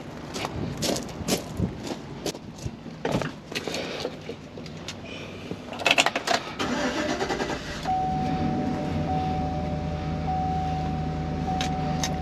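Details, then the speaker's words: 2015 Chevy Express van with intermittent bank 2 injector misfire, restarted after battery negative reconnected during fuse check: after handling clatter the engine fires and settles into a steady even idle, faint constant tone, no misfire at this moment. "right right now it's not misfire it's running perfectly smooth"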